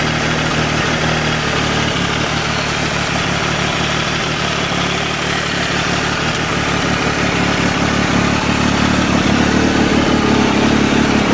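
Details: 2012 Triumph Tiger Explorer motorcycle idling steadily with a busy, tinny rattle over the low engine hum.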